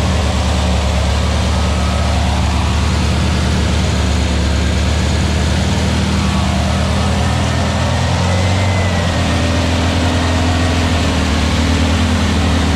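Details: Aaron's new air-cooled VW Beetle 1679cc single-port flat-four, Scat C25 cam, dual Empi ITC carbs, first start at fast idle during 20-minute cam break-in; steady even throb, no ticks or knocks. Normal running; carbs still need tuning.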